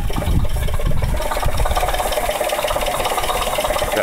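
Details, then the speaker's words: 1996 Oldsmobile Aurora at idle: uneven low knocking and rattling over a rough idle. It goes away when revved and returns at idle; the owner first suspected a loose tensioner but now doubts it, source unknown. "that's the noise i don't understand it's only at idle"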